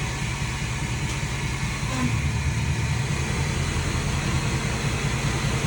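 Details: 2016 Ford F-450 4x4 diesel with 155,000 miles, rear differential: steady, rough low growl as it is spun up, from a failed bearing; first suspected to be the pinion bearing, found to be the carrier bearing.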